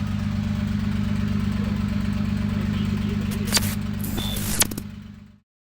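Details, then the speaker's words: Toyota Altezza 2JZ, first startup with a new Comp 6767 turbo, idling fine. A loud, blatty idle with steady chuffing, raw unmuffled pulses, sounding like an exhaust leak. "it sounds like it's actually idling fine sitting that 136 right now it just sounds like a fat exhaust leak really it's all it is"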